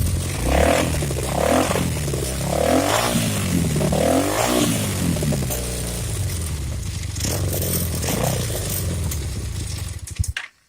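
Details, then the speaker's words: Motorcycle idling with a leaking float needle in the right-side carburetor running that side super rich: lumpy, uneven idle that stumbles and skips beats with near-backfires, won't idle right; float needle fix planned. "it doesn't want to idle quite right. And that's all because of this damn float needle on that one side."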